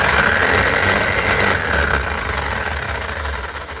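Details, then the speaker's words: Bosch GSH 5 CE demolition hammer running down: a rough, loose rattle rides on the roughly four-per-second hammer beat. A collapsed bearing caused the noise; the gear teeth were undamaged and the hammer was repaired. "normally when they make that sound it's never good news normally it's either a worn out crank in Armature gear and they're just eating each other or there a couple of bad bearings in it and the Armature slapping around inside the actual motor housing"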